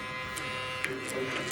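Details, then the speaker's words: Solenoid valve on newly installed SST fogless coolant mister on Tormach CNC mill: loud steady electrical buzz with a fixed high hum when powered; owner unsure if normal, wonders whether a 12 V solenoid would be quieter. Solenoid valve loud buzzing. "it did did make kind of a humming sound it's kind of noisy not sure not sure if that's normal it's a little bit loud"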